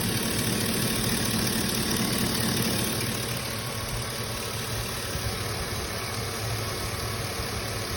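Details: 2004 Chevy Silverado 1500 with 393k original miles, code P0332 knock sensor: even, steady idle with light rumble and no audible knocking or tapping.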